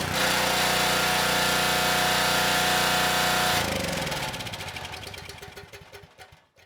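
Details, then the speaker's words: Husky HU5000 generator with Robin Subaru EX30 engine, after turning the AVR adjustment two turns: loud harsh buzzing rattle from the generator side, then shutdown; output measured 162 volts, overvoltage from misadjusted voltage regulator. "Uh when I started the engine, that noise was very loud and coming from the generator side of things. So I checked the kilowatt real quick and saw we were at 162 volts."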